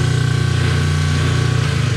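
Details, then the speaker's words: Kenmore 90 Series top-load agitator washer in spin cycle: steady, loud motor drone with low throb but no spin-up, tub not spinning; broken motor coupler. "so today we're going to address this wash and not spinning when it gets into the spin cycle you'll hear but nothing's happening"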